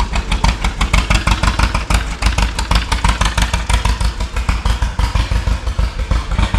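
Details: 1936 John Deere Model A two-cylinder, first start after sitting three years with new plugs, cap and sanded points, choke on: slow uneven pop about three beats a second, loping and hunting; carburetor unrebuilt, owner suspects sticking float, idle mixture needs setting.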